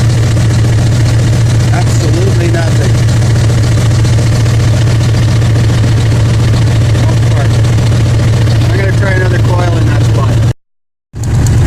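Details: 2000 Ford F-150 5.4L V8, regular cab 4x4 long box, 115,000 km, check engine light on but not flashing: deep steady idle with faint uneven lope like one cylinder dropping out; misfire at idle, spark being tested at coil.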